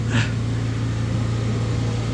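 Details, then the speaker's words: Stratasys Fortus 400mc 3D printer homing its XYZ gantry at boot for the first time: steady low hum with a short quick whir as the head travels, smooth with no grinding or knocking; normal gantry homing. "homing XYZ Gantry please wait press escape to a board home ah the head is moving ah"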